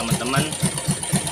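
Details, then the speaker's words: Standard motorcycle engine fitted with a CPO PE24 carburetor, only the idle and air screws set after installation: a steady, even, low single-cylinder thump at idle with no misses or hunting; normal idle. "idle ini berfungsi dan dapat disesuaikan secara manual oleh kami. Dengarkan suaranya."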